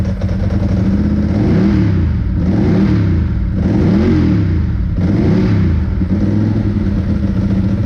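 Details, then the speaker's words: 2002 Ducati 748 V-twin, first run after fixing the water-contaminated fuel tank, fuel sender and pump wiring, and fitting new hoses: loping idle whose pitch rises cleanly on each blip and drops back without stumbling, healthy. "will it run successful um sounds really nice very happy with it"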